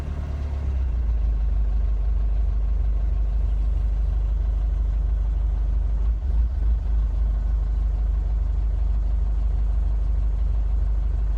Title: Mercedes 651 engine rough idle